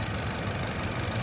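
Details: 2013 Chevrolet Cruze after replacing the suspected original belt tensioner, idling with AC on: smooth steady idle, no ticking or chirp from belt area; former loud ticking gone.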